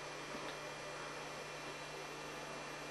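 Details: 2004 Ben-Q 46W1 (Gateway P46M103) plasma TV after replacing bad Z-sustain board and buffers and resoldering power supply joint that caused sparking: faint steady mains hum, soft hiss, no zapping or arcing; powers up cleanly.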